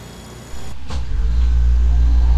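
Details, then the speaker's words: Refrigerator compressor after replacing a failed starting relay: a soft click then a steady low hum comes in and holds even with no rattle, starting and running smoothly. "And it just fires right on up. And you can hear it's running quite smoothly."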